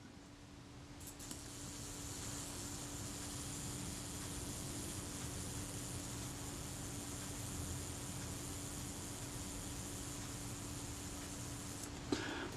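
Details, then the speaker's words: Kodak Retina Reflex IV self-timer after naphtha cleaning, run on the bench: faint steady mechanical buzz with a thin even tone for about eleven seconds, stopping cleanly with no hesitation; normal self-timer run. "It should just be a fairly nice, smooth, continuous buzz. It's not a Swiss watch and it's never going to be absolutely perfect, but it should be no hesitation."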